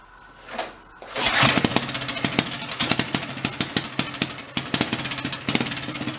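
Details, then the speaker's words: Lawn mower engine swapped into a 1965 Chevy Corvair Monza go-kart, first start on choke with light throttle, even steady single-cylinder popping beat: normal idle. "she sounds pretty good huh pretty even awesome"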